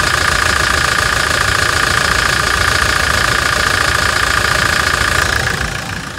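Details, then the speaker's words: Toyota Hilux Challenger diesel at idle after decarbonization, with a new fuel filter, new pressurized filter and replaced EGR: even, steady clatter at about three and a half beats a second with no misses or surging. A smooth, healthy idle. "Vamos escutar só a lenta dela agora aqui. Olha que beleza de barulho."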